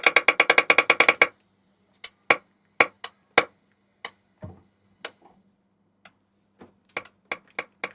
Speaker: It does work. It's tapping. Yeah, humming and tapping. That's full volume, by the way.